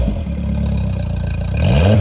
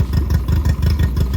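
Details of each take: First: Mercury 60 hp CT outboard, about 150 hours, swapped onto a Powercat, idling on the hose after refitting the fuel pump, 40 PSI steady fuel pressure: clean quick revs falling back smoothly, no stumble; normal revving, fuel issue appears fixed. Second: 60 hp Mercury 60 CT outboard with 150 hours and a known fuel issue, just fitted to a Powercat boat. Uneven, lumpy putter at idle with beats dropping out; misfire.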